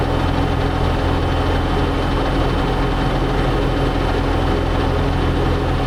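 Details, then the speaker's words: Bat-wing brush cutter on tractor, first run after installing the $300 aftermarket part for the broken gearbox, with fresh gear oil and wings lowered: loud, steady drone, cutter spinning evenly, no grinding or clunking. Owner thinks it's fixed. "I think she's fixed"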